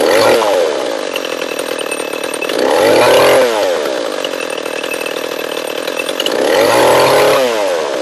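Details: Echo CS-341 chainsaw, new carburetor fitted but still ran poorly, after carb high-speed tuning and bar and chain installation: revs cleanly up and down in repeated cuts, crisp throttle, steady high whine, slight bog; running good.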